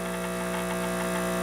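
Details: Breville espresso machine pulling a shot, gauge about 10 bar (about 145 psi): constant buzzing pump hum at unchanging pitch, no sputtering or straining; pump extracting normally.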